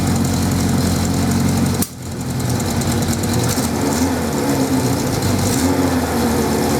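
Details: 1979 Suzuki GS550E four-cylinder, first start after about 5 years stored under a cover on old fuel: slightly uneven idle with the odd exhaust pop. Carbs not blocked, but it could probably do with a tune-up.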